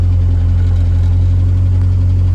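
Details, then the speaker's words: Roush Thunderbird just restarted after sitting for years, oil pressure present, alternator also noisy: loud fast idle with a deep steady drone that never settles to normal low speed; high rough idle. "got a high idle i know"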